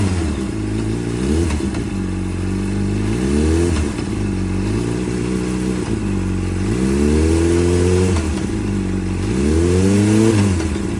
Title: Weird noise(knock) when dropping the throttle